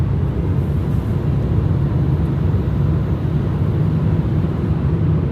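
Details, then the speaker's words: 2017 Citroën Berlingo automatic on the carriageway after new camshaft and cambelt kit: steady deep droning tyre roar; engine quiet with no noise from the cam, the tyres are loud. "the engine's nice and quiet it's nice and quiet it drives really nice no noise from that cam but those tyres that annoy me they're quite loud aren't they"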